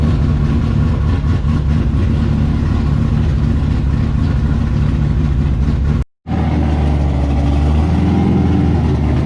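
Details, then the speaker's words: LS7 V8 in S14 comp car, sat about 3 months, after cooling system bleed and service: deep, even V8 burble at idle that swells cleanly when revved, no misses or knocks, running on all 8; normal idle and revving. "Doesn't even sound, it actually sounds like it's running on all 8 too, so that's a bonus."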